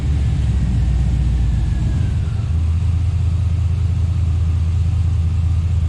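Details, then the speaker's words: Scout 80 with junkyard LQ4 6.0 V8 swap, after purging aerated fuel rail; deep, even V8 rumble holding steady, all cylinders firing cleanly with no stumble or miss; normal idle. "so it's running nice and even on all cylinders now so let's hear what it sounds like"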